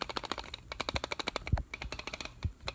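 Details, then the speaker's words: Used Nikon 70-300mm VR lens shaken by hand: quick, dry clicking with heavier clunks, something loose inside; owner unsure whether normal, as their 24-120 makes no such sound. "so I just got a 70 to 300 millimeter VR lens that I bought used and when I shake it it freakin makes this clunking sound I don't know if it's normal or not"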